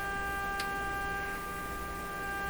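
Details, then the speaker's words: RCA Victor A38 shortwave tube radio: steady buzzy tone over hum; turning input down low removes the harshness. "once we get it down low enough the the the harshness goes away in the sound the volume gets very low"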